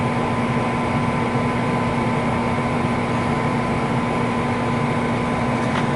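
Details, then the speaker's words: 90+ gas furnace with no-heat complaint, exhaust pipes possibly blocked by birds: steady, even mid-pitched hum with no rattle or scraping as the inducer fan spins up; inducer fan runs normally, igniter glowing. "Well, I'm gonna turn it on and check it again, see what happens with the things. All the fan seems to work okay."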